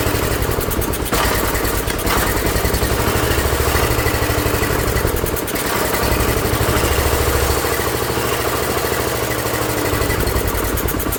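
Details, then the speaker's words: Ford LGT145 garden tractor engine on fresh gas, before carburettor reset to factory specs: runs continuously but unevenly, the low beat wavering and dipping; rough running, carb adjustment suspected. "I better check factory specs. It wasn't happy."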